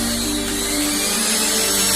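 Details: Mixer grinder after repair (burning smell and flapping noise before; carbon brushes removed and refitted, wires rejoined): high, steady whine at full speed, even pitch, no flapping or rattling; motor running normally, speed very fast.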